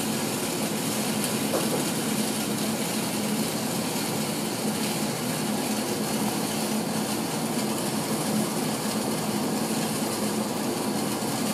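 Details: 1980s Tefal Spinmaster spin dryer (Calor, France, 2,200 rpm max) spinning rinsed towels with lid closed; steady even whirring with constant low hum, no knocks or scraping, strong airflow out; normal spin.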